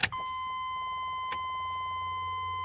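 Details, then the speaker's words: 1998 GM 6.5 diesel with touchy throttle and surging: steady even electric hum of the aftermarket lift pump, replaced about a year ago, running normally and pumping fuel with fuel filter top off; lift pump ruled out. "hear the lift pump running the lift Whomper was replaced roughly a year ago with an aftermarket one"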